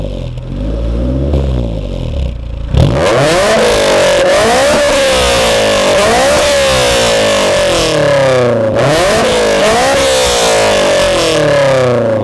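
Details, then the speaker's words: Honda S2000 revving repeatedly: smooth pull with a clear horn-like exhaust drone between 3000 and 4000 rpm, another drone at 7000 rpm; VTEC engages at 6000; sounds healthy. "Donc voilà, donc sur la ligne, on a un drone entre 3 et 4000 tours. Un drone, c'est quoi? C'est comme une trompette."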